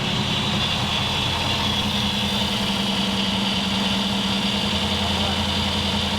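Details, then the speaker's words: Kip's Willys Wagon with no coolant, run briefly after removing the power steering: the idle has an uneven, loping pulse and a low drone, sounding happier. Owner suspects it needs enrichment fuel and timing, plus a suspected vacuum leak. "A little more. We can't run it for too long. We don't have any water in it, but it sounds happier."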